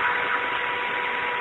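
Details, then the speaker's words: ZX45 mill after a belt-drive spindle conversion, running at about 8,100 RPM: a smooth, steady high-speed hiss with a faint even tone and no knock or rumble. A nickel stands on it, so the spindle runs quietly and normally. "okay here's about 8,100 RPMs as you can hear it's fairly quiet pretty"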